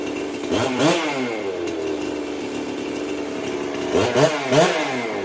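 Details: Jonsered 670 chainsaw with newly installed compression release, now easier to start: fires readily and snaps through sharp, clean rev bursts that drop back without stumbling; strong, healthy-running two-stroke.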